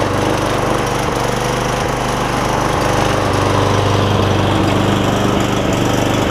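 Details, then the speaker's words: Cub Cadet SR621 push mower with a Kawasaki single-cylinder engine, just after carburetor replacement and not run in a while, no blade fitted: runs at a steady, even speed with a smooth constant beat and no misses. "Seems like it runs pretty good. It hasn't run in a while because I can smell the rust smell"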